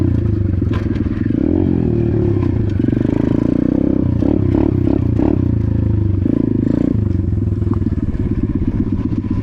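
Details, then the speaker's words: Apollo RFZ X18 125 pitbike single-cylinder four-stroke just fitted with a new 22 mm PE22 carburetor idles and blips crisply, picking up cleanly and settling evenly; runs healthy after the carburetor upgrade. "Wow. Sounds good. Feels good, too."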